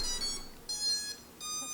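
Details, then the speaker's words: Geneinno Poseidon 1 underwater drone ROV (2018), powered via tether cable on fully charged battery: three short bursts of stepped electronic beeps, normal ESC power-up chime as it boots and connects. "listen to that infamous esc beeps have just come on and it sounds like that thing is booted up"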